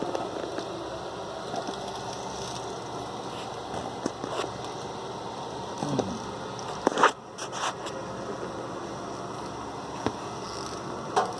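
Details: Top-load washer just fitted with a new tub bearing and seals: a constant dry rattle and crackle of about four loose knocks a second during all cycles, while the agitator seems fine. Loud rattling during wash, cause unknown.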